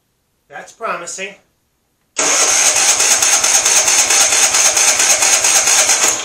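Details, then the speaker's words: MTD auction lawn tractor on good new battery, carburetor flooded: starter cranks, engine catches and runs ragged, coughing, uneven at about two pulses a second; owner suspects carburetor needs cleaning, unconfirmed. "it looks like all i got to do is clean out this carburetor"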